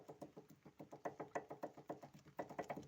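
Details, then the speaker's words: Daewoo Lanos front ball joint: quick, evenly spaced hollow knocks, about six a second. A torn boot let in moisture and washed out the grease. The pin rusted and micropores wore the plastic/fluoroplastic bushing, leaving play. "стук шаровой опоры за шанс происходит Это потому что попадает влага происходит вымывание смазки после чего шаровый палец начинает ржаветь"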